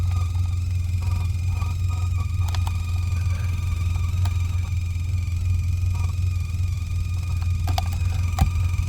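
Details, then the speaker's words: Sea Ray 19 boat with the engine running: a steady low electrical hum with faint buzz and clicks comes through the speakers. It is back-feeding through the amp, and corroded connections change the noise; speaker hum. "wow look at that I don't think I've ever heard anything like that before that's weird it's back feeding through the amp which I think's probably in here"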